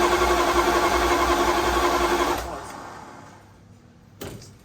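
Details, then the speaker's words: Dodge Dart small-block Mopar V8, revived after a long lay-up and cranked on a jump pack: the starter spins the engine quickly and evenly, about four turns a second, but it never catches; sounds like no spark, and fuel is also a problem. "It sounds an awful lot like there's no spark happening, hey? God. All right, I'm gonna dig a bit further. I don't think this thing's got spark."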